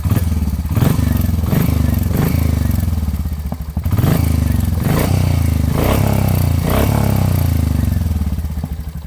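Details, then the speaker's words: Royal Enfield Hunter 350 after second service, cylinder head replaced at no cost for tappet noise; steady single-cylinder idle with soft light ticking from top end, mild tappet noise still present. "इसकी अब यह जो आवाज है दोस्तों यह head change होने के बाद है एंड स्टिल हल्की हल्की सी जो मीठी मठी सी नॉइस है टपट की वो आ रही है"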